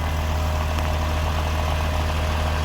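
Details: Audi Q7 right after replacing the air suspension compressor and valve block, engine idling in a garage as the rear, then front, rises slowly. A steady, even mid-pitched compressor hum with no rattle or strain; normal compressor operation.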